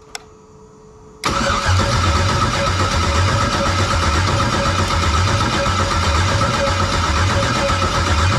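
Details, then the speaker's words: LM4 LS engine swapped into a 1999 Pontiac Firebird, first start attempt on a makeshift fuel pump with incomplete wiring: steady starter churn with even compression beats, about three or four a second, never catches. Cranks, no start. "so I guess since it doesn't start gives me the perfect opportunity to make a video of a guy that has no idea what he's doing troubleshoot an LS motor"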